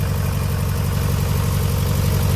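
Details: Mazda Protege BP engine idling lumpy and uneven, with heavy low thump and a gap in the firing rhythm; one cylinder not firing, owner suspects a burned valve from loose rings on that cylinder.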